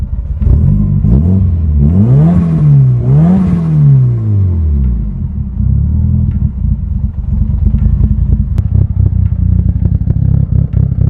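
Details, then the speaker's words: Mitsubishi Evo 8 after new fuel pump housing, electrical drain and cleaned spark plugs: engine blips up and down cleanly with no misses or knocks; problem seems fixed, cause unclear. "it sounds like we fixed the problem i just don't know how that all started"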